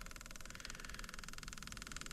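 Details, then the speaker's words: Tow-behind diesel roller compactor that sat about 30 years, temporary inline electric fuel pump filling the fuel screen: a soft steady whir with a fast pulse, quieter once primed; normal pump operation, with fuel pressure confirmed at the bled fitting. "much better you hear how much that pump quieted down that's uh that's always a good sign"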